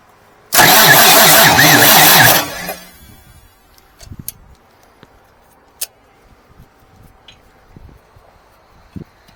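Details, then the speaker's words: 1989 Marmon truck diesel after diesel was sprayed into the cylinders; the owner suspects the nozzles and wants more fuel in: about two seconds of sluggish, laboring cranking, then silence. The starter is super hot and turns it too slowly to fire. Slow cranking no-start. "i wish that uh i could work that throttle a little easier that starter's super hot and uh it's just it's just not gonna do it"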